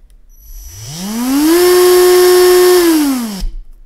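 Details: CrawlMaster sport brushed RC motor after rebuild with timing advanced so forward runs faster than reverse, before break-in: winds up to a clean steady whine, holds constant speed, spins down evenly; smooth running, no brush chatter, normal.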